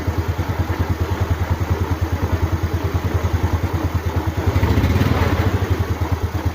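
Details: Motorcycle idling after starting on a new DAYWAY 5L battery (12.56–12.68 V standby): steady even putter that rises slightly and settles, no clatter or misses; voltage rises to 13 V, regulator charging, healthy engine.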